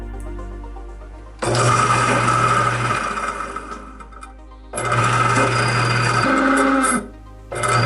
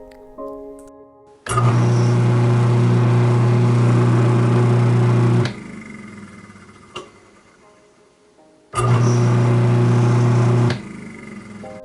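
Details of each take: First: Garbage disposal that turns hard: starts in three short bursts with a coarse, grinding roar over a low hum. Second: Garbage disposal that had been turning hard and making noise, reassembled after repair (silicone still drying, no water), runs dry twice with a smooth, steady motor hum, sounding healthy, over soft background music.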